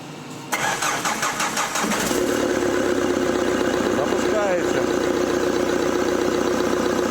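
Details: Opel 1.9 diesel that would not start cold in winter frost, after fitting repaired injectors: it cranks briefly, fires and settles into an even idle with steady clatter and no misfire.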